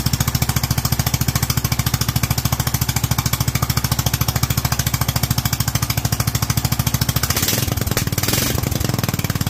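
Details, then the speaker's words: Kohler single-cylinder engine with Honda-style carburetor, .024 idle jet and 45 main jet: steady thumping about three and a half beats a second, then revs waver and hang, floating at about 4200 rather than settling. Owner suspects the jet was dropped too far. "I hate to say it but judging from how that seems to just want to float at 42 I think we dropped a little too much"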